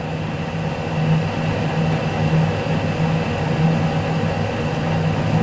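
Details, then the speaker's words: Lathe single-point boring an internal thread start/end groove for a welding positioner locknut at reduced speed, about 1 mm deep: low steady singing tone through the cutting noise; tool chatter. "okay now it's two millimeters from diameter so one millimeter deep it tries to sing to me"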